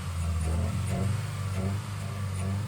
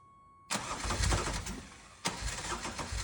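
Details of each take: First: 1986 Ferrari 328 GTS under restoration, warming up to temperature before fine-tuning, exhaust smoking: smooth, steady low idle with an even pulse, no stumbles, pops or ticks; normal idle. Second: 1986 Ferrari 328 GTS during restoration, very first start of reassembled engine with fuel injection parts still missing; catches quickly then lumpy, stumbling idle sounding out of time; ignition control unit suspected.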